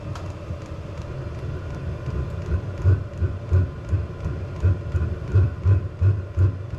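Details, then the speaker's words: VEVOR diesel heater with custom burn head burning waste motor oil, at 30 °C, flames from the exhaust: uneven low whooshing pulses about 86 a minute over a rumbling burn. Rough pulsing combustion, expected to quit; owner wonders whether the exhaust is too restrictive for added airflow. "it's up to 30 Celsius but it's probably going to quit here anytime Flames coming out the exhaust"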